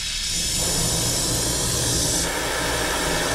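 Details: Goodman heat pump condenser that pumped down in heat from a piston restriction, refrigerant recovered, lines opened to remove the dryer: continuous loud hiss of nitrogen purge through the lines, easing slightly partway through. Purge flowing normally.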